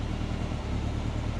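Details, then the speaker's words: Subaru Forester on Haltech ECU after fixing a 22% TPS reading and retuning idle timing to 15°: engine idles low and steady around 1,100 rpm instead of 2,200–2,500, even deep pulse, revs up well, slightly rich. "But, um, yeah, it revs up good. Yeah. All right, sounds better."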